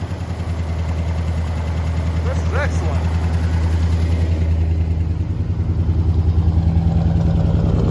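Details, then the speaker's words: 1974 International Harvester pickup, first run in a long while: low, lumpy idle at about three to four pulses a second, stumbling; it sounds like only three or four of eight cylinders are firing, suspected misfire. "that sounds like four cylinders there that sounds like four cylinders there i think maybe three it's the first time it's ran in quite a while"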